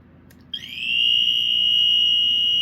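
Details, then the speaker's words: Rare Dicon 400L photoelectric smoke alarm on test: after a click, a high shrill tone rises slowly then holds steady but really quiet; weak smoke alarm tone, possibly pre-adjustment sounding. "Well, it's going off. It's going off, but it's like really quiet for some reason."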